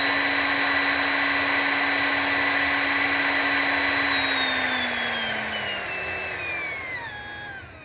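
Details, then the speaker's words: Small brushed motor, unloaded, run at varying voltage and RPM on a bench while sound levels are measured: even high whine with internal fan hiss and light brush commutation buzz, pitch sliding smoothly down as it slows; healthy running. "now there there's no load on this thing so it's not making any noise um for that but it does have a little fan inside and it does have you know the commutation noise"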